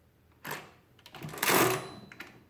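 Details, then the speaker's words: Rebuilt Marchant KE mechanical calculator, subtraction carrying all the way across. Quick burst of clatter, then a longer rattling carry run ending in a faint high overflow bell ding. Normal carry cycle with overflow bell. "if we clear this out be sure to get a ding if we carry all the way across oops i should have subtracted one let's try that again one you can hear that bell it's kind of faint but it's there"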